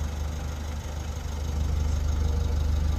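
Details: 2024 Mitsubishi L300 FB Euro4 diesel idling after the exhaust tail pipe end was refitted with the screen removed: steady even low thrum with a regular beat, no rattle or buzz at the tailpipe; original sound, noise gone.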